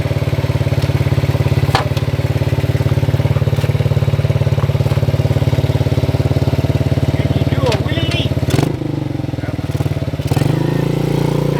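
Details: 1977 Honda CT 125 motorcycle, previous owner says it runs good: steady, even single-cylinder thump at about three and a half beats a second with no misses or knocks; healthy running bike.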